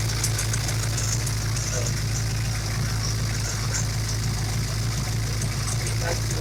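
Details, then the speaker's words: Ford Mustang small-block 351/302 Windsor V8, low lumpy idle with loud constant high hiss: unmetered air past MAF leaking by cylinder 7 injector O-ring despite new O-ring bushings; misfires at WOT; vacuum leak. "you can even hear it from over here it's so loud now"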